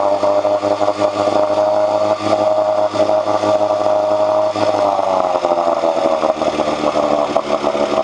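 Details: 1986 Johnson 4 hp Seahorse two-stroke outboard after cleaning water passages for overheating: steady, even hum, no misses or knocks; strong water flow, head temperature down from almost 190 to about 80–120, running cleanly.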